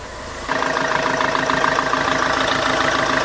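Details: Renault Trafic/Vivaro/Primastar F9Q 1.9 dCi run in sixth gear to spin the wheel at higher speed and check for a noise; a steady, even drone with no whine, grind or knock. Normal gearbox running.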